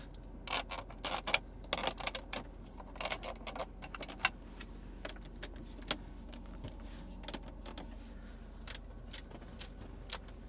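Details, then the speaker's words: Cadillac Escalade Platinum cabin: sharp irregular ticks and creaks over a quiet hum when resting a hand near the infotainment screen or on rough roads; plastic interior trim creaking and squeaking. "That's not okay. like I don't I don't want to hear that much squeaking."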